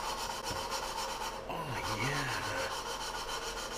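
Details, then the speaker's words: Hand-lapping valves on LS 317 cylinder heads with lapping compound: rhythmic back-and-forth rasping, fairly soft and even, getting quieter as the seat smooths; valve lapping grind. "oh yeah lapping valves give him a little lap job why wouldn't you i like doing this this is fun"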